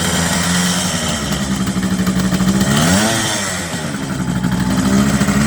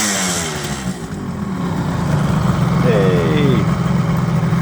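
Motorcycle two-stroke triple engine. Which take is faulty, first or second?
first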